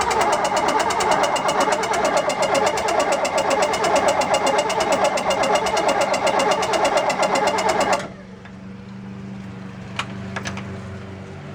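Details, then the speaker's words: Race boat engine started on water hose after two years sitting: rough, loud run with fast regular clicking about two per second, then cuts out; owner thinks the clicking is the coil, unconfirmed. "we got enough movement there that clicking you're here and it's actually the coil I think"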